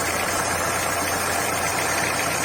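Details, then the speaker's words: VW Gol G5 at steady idle: constant light whirring hiss from the front accessory drive, traced to the worn AC compressor belt; fitting a used belt stopped the noise. Compressor bearing had already been replaced elsewhere without curing it. "O problema provavelmente vai estar na correia do... Essa correia aqui, do compressor."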